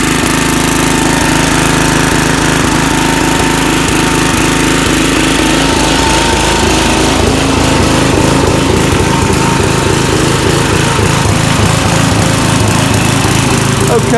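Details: Snapper Hi Vac single-cylinder mower whose starter Bendix would not engage the flywheel, now started with a stronger battery: it runs strong and steady with an even beat and no stumbling. Normal running.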